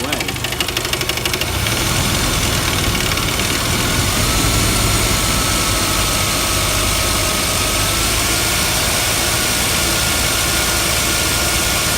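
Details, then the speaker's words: 1999 Jeep Wrangler TJ, high-mileage oil treatment added, warming up at idle: a rough, uneven knocking about three beats a second, growing louder then fading. It sits at the front of the engine; owner suspects the front bearing or timing chain slap, unconfirmed. "actually start to hear it now. I've warmed it up a little bit. You can start to hear it kicking. It's getting louder."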